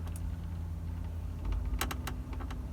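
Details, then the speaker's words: Toyota Corolla Verso, stationary: sharp dry creaks and clicks in short bursts behind the dash over a low hum, triggered by changing the temperature; the already-replaced blend door motor creaks, likely from too little grease. "you can hear it creaking away there, can't you? So, what I've been doing is I've noticed that when I change the temperature up and down, that creates the creak. So I know the noise is coming from the blend door motor."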